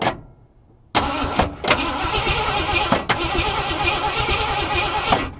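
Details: Ford F350 cranking in short uneven bursts with no firing during spark diagnosis; cranks but won't start; spark later confirmed though orange, fuel pump suspected failed or blocked; truck turned out out of fuel, pump replaced.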